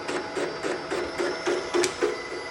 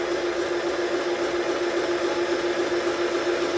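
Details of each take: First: Milling machine boring a Type 4 aluminum engine case for big bore cylinders, near the bottom: rhythmic chattering interrupted cut, about three and a half hits a second, as cutter strikes a small internal ledge. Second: Milling machine boring a VW Type 4 aluminum case for big bore cylinders, power feed at 0.006 in per revolution with lubricant: steady hiss of the cutter making a smooth cut, plus low churning from the back gear's bull gear.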